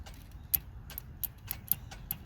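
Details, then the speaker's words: Dodge Journey no-start, no-crank on a jump box, window also not working: with a jumper wire bridging the suspected power supply, scattered light ticks and a click but no cranking; cause still being diagnosed. "you hear that now hold tight because I'm hearing a click"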